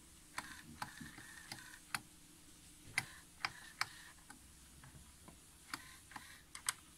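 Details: Pioneer A-702R amplifier, Alps motorized input selector with front cover off so the gears are visible: small motor whirs in short runs with crisp, evenly spaced detent clicks to end of range; normal selector operation.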